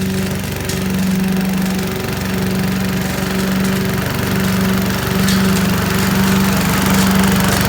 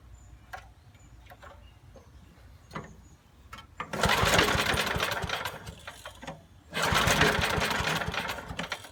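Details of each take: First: 1980s Billy Goat vacuum after draining stale gas, started after several pulls, possibly low compression: small single-cylinder engine runs at a steady even buzz with no misses or rattles; normal running. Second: 1980s Billy Goat vacuum, turpentine-smelling old gas drained, fresh gas and carb cleaner added: two recoil pulls give rough whooshing churn but no start; little spark seen, cause suspected, not confirmed; no-start cranking.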